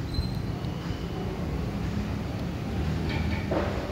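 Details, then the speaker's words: Heavy sliding gate after replacing four wheels and their plates: low, even rolling rumble with no grinding or knocking, only a faint rub from the top guide plate, which is due for replacement; runs and stops smoothly. "meski itu banyak cukup berat tapi ketika piringnya Baru 4 piringnya baru ini suaranya sangat halus sekali"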